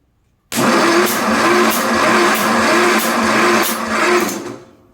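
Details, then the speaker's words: Craftsman DYS4500 riding mower, Kohler 26 hp V-twin suspected of no compression, cranking with spark plugs out and finger over the plug hole: steady starter whir with a regular puff about every 0.6 seconds; cylinder holds compression. "We have compression. That's a good thing."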